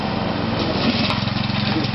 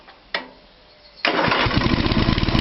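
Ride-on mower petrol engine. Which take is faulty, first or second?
first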